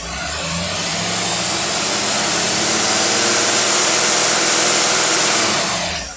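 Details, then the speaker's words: Rochester small-top two-barrel manual-choke carburetor tested on a running engine: pulls up smoothly under load into a strong steady roar with no stumble, hesitation or misfire; fantastic running carburetor, normal acceleration under load. "folks that's the fantastic running carburetor it really really is"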